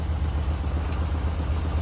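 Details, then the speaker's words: Dream car just fired right up after valve adjustment (at least half the valves had no clearance, spec .006), valve clearance possibly the issue; even low putter about eight beats a second, no ticks, misses or hunting: normal idle. "I mean, it just fired right up. Yeah. So was the valve clearance might have been the issue."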